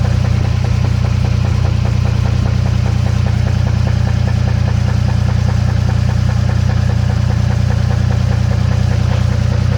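Steady idle with a regular tapping knock, about 160 a minute, evenly spaced over the low engine hum; source not yet identified.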